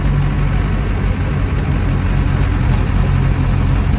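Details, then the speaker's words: 1984 Land Rover Series 3 Lightweight with a 200TDi diesel conversion and a new clutch, with soundproofing under the bonnet: a steady, low, quiet diesel idle with an even knock rhythm and no roughness or vibration noise; it is running healthily. "it's got quite a lot of soundproofing under the bonnet two of the tdi conversions we've had before seem to vibrate a lot and be really really noisy this one is actually pretty good"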